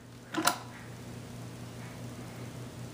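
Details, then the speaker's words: Lenco L75 turntable idler motor after replacing a broken nose plunger screw that steadies the spindle: one sharp click, then a faint, even low hum with no grinding; running quietly and smoothly. "it's still quiet as hell um you know it kind of freaked me out when i broke it"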